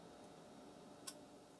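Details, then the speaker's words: Toshiba 20AF41 20-inch CRT TV (made February 2001) with an intermittent starting problem: after the set finally starts, one faint sharp click over a steady hiss as the degauss relay drops out; normal degauss relay click-off. "and then it clicked off okay so the relay is definitely um the relay definitely has to do with the degausing"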